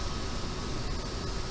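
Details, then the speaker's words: ComfortBilt HP42 Alpine pellet stove, first run after assembly with flame just established: soft even whoosh with faint steady hum, no rattle or squeal; combustion fan sounds normal. "It gives you kind of an idea of how loud the fan is. That was a concern I had when I bought this unit, was how loud was it going to be, because this is going to be setting in our main living area of our home, so I didn't want it to be too loud."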